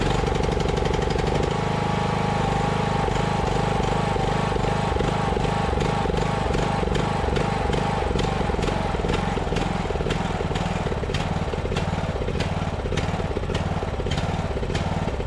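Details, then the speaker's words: Ariens riding mower engine, bought from a scrapper, running but won't idle: speed hunts up and down, surging attributed to a dirty carburetor needing cleaning; otherwise engine sounds healthy, oil change also due. "Yeah, it won't idle. You guys can hear that surge, but I mean can tell right off the bat that's a healthy engine. We at least have a carb clean"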